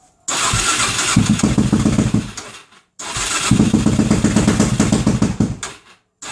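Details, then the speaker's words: Suzuki DRZ400SM single fires twice, chuffs unevenly about two seconds, then stalls; previously wouldn't start at all, breaks down when hot; owner suspects fuel starvation, possibly the coil; rough running after start, cause unconfirmed. "well as you can hear it's is at least starting up now it wasn't starting up at all"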